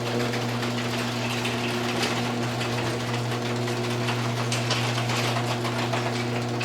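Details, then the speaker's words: Garage door with five rollers per side, with old bearings that were greased but worn loose, before replacement with silent rollers. A steady opener motor hum under constant metallic metal-on-metal rattle and clanking as the door travels: worn roller bearings. "When we come up to the roller, I want you to pay attention to the noises this thing makes. Watch this. A lot of metal on metal. Real noisy."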